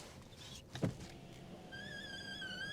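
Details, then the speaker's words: Tesla Model 3 power window: soft thump, then thin wavering mid-high squeal as the glass travels; owner says the squeaky window needs silicone on that bit. "Ah, squeaky windows. That's needs silicone on that bit."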